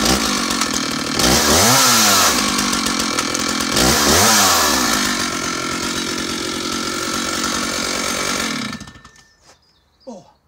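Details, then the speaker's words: Stihl 056 AVSEQ 87cc early-80s chainsaw snaps up to a screaming rev twice, drops straight back to a steady even idle each time, then shuts off cleanly; healthy. "So she comes back to idle beautifully quickly, and the chain brake mechanism reminds me very much of the actuation on some of the Dolmars"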